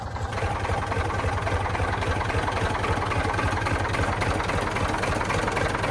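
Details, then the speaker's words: Previously seized Ford 4000 tractor diesel, freshly freed and running: steady idle with busy rattly clatter about four beats a second; owner unsure if normal for the model; noisy engine running, cause unknown. "Um, it is a little bit noisy. But I don't know if that's how Ford 4000s are supposed to sound."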